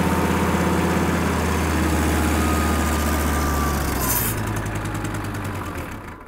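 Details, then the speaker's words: Kubota M5700 five-cylinder diesel tractor after the fuel lift pump was replaced: low diesel clatter for about four seconds, then it sags and dies, still stalling; fuel starvation suspected; engine stalling under load. "nope still has the same problem"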